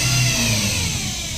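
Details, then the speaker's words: Toyota Vios revved, after many parts including the alternator bearing were already replaced: a steady high whine and drone traced to the transmission, from the CVT oil pan contacting the strainer. "wala yan dito dito yan sa may transmission so titingnan natin ano yung problema"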